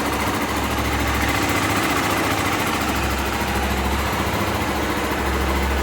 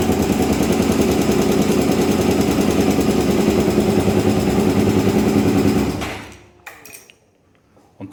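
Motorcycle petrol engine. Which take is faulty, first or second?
second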